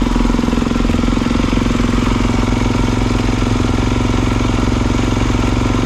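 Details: 2022 Kawasaki KX450, restart test (it would not restart hot): it lights up and holds a steady, even thumping idle of a few beats a second with no hesitation; healthy.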